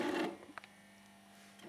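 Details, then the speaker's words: Philips CD-i console disc tray not ejecting or closing properly and getting stuck; short whirring mechanical bursts with a faint hum between. Owner suspects the very loose, worn tray belt as the main cause; unit previously opened by someone. "you can see it's not ejecting properly I don't think it closes either does it yeah it's kind of getting stuck"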